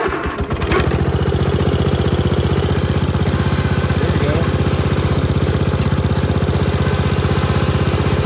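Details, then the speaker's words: Gravely tractor in snow, in neutral after topping up low hydraulic fluid with multi-grade ATF: engine holds a steady, even low thump without stumbling, and the hydraulic lift now works; fixed. "All right, let's put this dipstick back in and fire it up and see if we can lift it."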